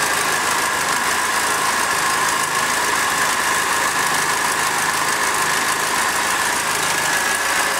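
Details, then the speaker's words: Second-hand Triumph Dolomite 1300 engine in a Gentry MG TF Replica, idling after first start following engine change while burning spilled oil off the manifold: steady even idle, smooth hum, no knocks or ticks; sounds like quite a good engine. "Actually sounds like quite a good engine. I'll just let it burn all this oil off."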